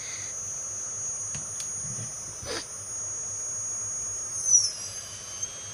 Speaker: You will hear some beeps, it means motor is properly connected When I move the throttle stick the motor spins